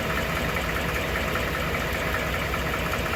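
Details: 2012 Ford F150 5.0 Coyote V8: dull knock about once a second at idle, now present all the time; owner suspects an oblong cylinder; dealer's throttle body cleaning and PCM reprogramming did not fix it.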